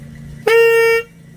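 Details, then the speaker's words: Ninja RR old (CBU) HSAS reed valve blown through by mouth: a clean, steady trumpet-like buzz of about half a second, like a carb fuel membrane, showing a good membrane that seals and vibrates properly. "membran yang bagus seperti itu dia bisa bunyi bisa bunyi trompet kayak membran karbu membran bahan bakar juga kan kalau ditiup kan bunyi kayak gitu"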